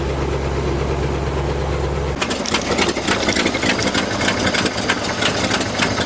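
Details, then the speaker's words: 1974 International Fleetstar ex-firetruck, 9-liter gasoline engine with 5-speed automatic, low mileage, sat a couple of years, started with starting fluid: slow, deep chugging at about 450 rpm, settling even, sounds like a mean cam; healthy idle. "All 9 liters chugging along. That thing's idling at like 450 RPM. What do you think? Good. Sounds like it's got a pretty mean cam."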